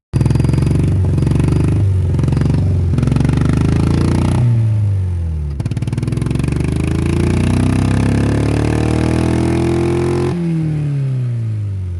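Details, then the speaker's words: Honda Civic running on only one cylinder, about 25 hp by owner's estimate: lumpy, uneven chuffing with slow irregular pulses wavering as revs rise and fall; severe misfire. "yeah that's what a one longer Honda Civic sounds like and that's usually how it runs it makes about I don't know 25 horsepower"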